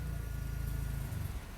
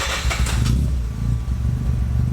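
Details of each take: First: Mazda FD RX-7 rotary on the dyno just after major vacuum leaks were fixed; a low, choppy, hunting idle that fades, running lean at idle: rich at first, then it drifts lean and wants more fuel. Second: Mazda FD RX-7 rotary on the dyno after a smoke test found vacuum leaks that were then fixed; a deep even burble right after start-up, easing to a lower steady idle, a healthy idle.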